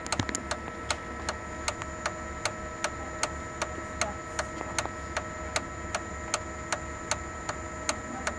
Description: Sharp MX6240 MX7040 ticking noise from fuser drive gears. Cluster including bearings and gears are bad and needs replacement.